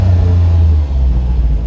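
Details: Autozam AZ-1 (Suzuki Cara) turbo, cold just after starting, with new fuel rail and pressure regulator and throttle body hose off: pedal floored but engine drones flat and won't rev past about 4,000 rpm; cause unknown.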